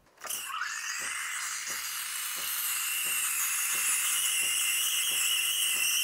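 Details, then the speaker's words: Milk steaming on an espresso machine (CRM3605): wand tip sits too deep in the milk, so no chirping aeration hiss, only a smooth steady high steam roar; wand must sit at the surface. "치직 소리는 안 나고 한 소리만납니다 조금 더 버려야 되겠네요"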